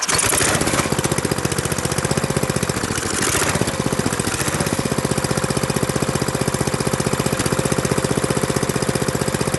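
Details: Briggs & Stratton industrial small engine with replacement carburetor and fuel pump re-hooked correctly (vacuum line had been on fuel inlet) finally catches, chugging with uneven hunting beat about four firings a second; extremely hard to start, still surging.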